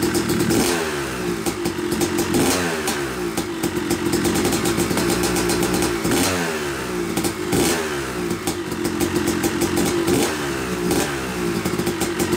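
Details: Yamaha YZ250 two-stroke motocross bike (250cc/270cc) after year-long full engine rebuild (bottom end, transmission, bearings, clutch, power valve), first start-up: repeated throttle blips, crisp rising and falling revs with clean overrun crackle; break-in smoke normal; healthy running.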